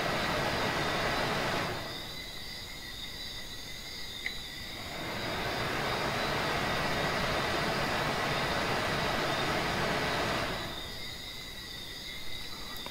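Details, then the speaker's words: Lvyuan inverter on benchtop power supply during repair (capacitor replaced, thermostat being relocated): cooling fan soft steady whoosh with faint whine cutting in and out cleanly, no rattle; normal fan operation. "Now if I connect these two, you hear the fan is on."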